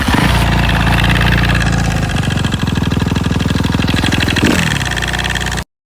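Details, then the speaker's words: Suzuki RM-Z 250 motocross bike after a ride: revs drop to a fast, slightly uneven idle with a rattling beat, then the engine cuts; strange engine noise, cause unknown, owner fears something bad. "les gars je faisais un tour de décan et là un bruit chelou au niveau de mon moteur"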